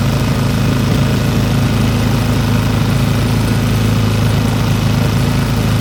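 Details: Old Briggs & Stratton single-cylinder petrol engine rescued from the trash, started on hand choke and running after opening the carburetor needle valve; steady even thrum, smooth enough to hold with one hand, no misses or speed swings — normal smooth run.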